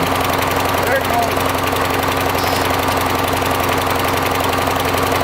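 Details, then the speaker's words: Small engine struggling with an uneven, lumpy beat, loaded with excess oil; owner expects it to run better once the oil burns off but smoke heavily, with oil dripping and leaking down; rough running, cause suspected. "it's struggling it will actually once it starts burning some of that oil it'll run better but it it will smoke a lot"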